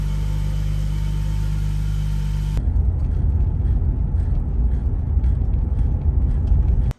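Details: 1985 BMW 635CSi M30 engine, after replacing the leaking fuel pressure regulator o-ring: the starter spins briefly, the engine catches and holds an even low rumble with no stumble before shutdown; running fine, no leak.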